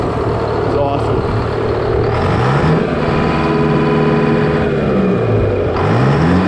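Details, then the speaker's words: GM 4-71 two-stroke supercharged diesel, about 160 HP, probably 50–60 years old, Frick sawmill engine, warming up before a secondary fuel filter change: revs up and down with strong rising and falling howl over a steady beat; normal running. "so I'm going to let it run for a second while I do this but just to hear what this thing sounds like this thing is"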